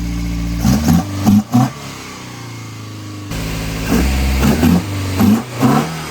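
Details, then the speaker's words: 1983 Volvo 242 B23 manual on Weber DCOE carbs after timing set: blips up then settles to a slightly fast idle, started with key, no choke; owner thinks linkage needs sorting and idle set lower. "I think we got some linkage to sort out. Maybe set the idle a little lower. Sounds good."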